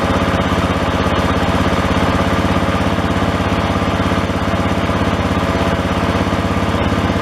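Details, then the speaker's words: John Deere 111 lawn tractor single-cylinder engine after carburetor rebuild, with old sloppy linkage: a steady chug with odd uneven pops and misfires in the exhaust. Owner judges this about as good as carb tuning gets; lean or linkage cause is suspected, not confirmed. "from watching the videos of these old-timers tune these carburetors having some popping and some Finn's firing his so yeah that's about as good as you're gonna get as far as tuning a carb"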